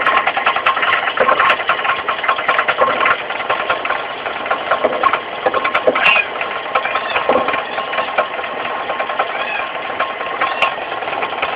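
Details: Mitsubishi 4G15 carburetted engine running with uneven light knocks and ticks from down low at the front, the crankshaft pulley area: a loose crankshaft pulley, fixed by tightening it rather than replacing it.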